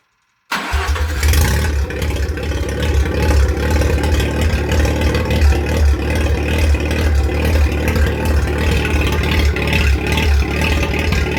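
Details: Mazda 12A rotary on an engine stand, first fire after removal, compression 98/95/95 front and 92/93/89 rear at about 280 rpm: catches at once and settles into a steady, even, buzzy idle with no knocks or misses. Healthy engine.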